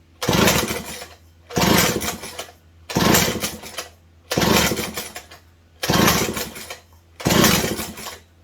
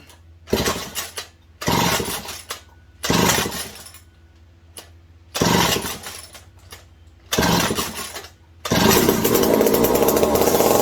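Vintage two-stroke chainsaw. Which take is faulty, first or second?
first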